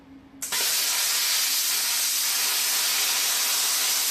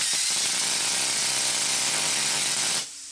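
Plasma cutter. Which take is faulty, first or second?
second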